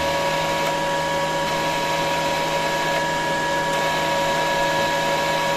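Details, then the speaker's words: Kaiser 310 Pro MIG welder, about 800 kg of wire over two years without service, wire feed tested directly and via the button; steady motor hum at fixed pitch with no surging or stalling, feed motor running normally. "Так значить на протяжку якщо навпряму протяжка проволки працює Якщо через кнопку працює працює"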